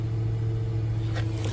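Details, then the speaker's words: 2009 Infiniti FX50 V8 after replacing a coil pack for code P0302: steady, smooth low idle hum with no stumbles or missed beats. "i think i solved the problem yeah no stumble or anything it sounds good"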